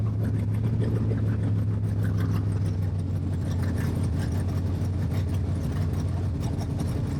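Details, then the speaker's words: Stroked 400 big block Dodge/Mopar, first run after work, no brake booster or exhaust fitted yet, temp 180–200 with fan cycling, no leaks: deep, loud, lumpy idle burble, steady with no knocks or ticks, sounds good. "As you might imagine, I wanted to get this thing started, so I didn't care about putting a booster on yet. Sounds Sounds good."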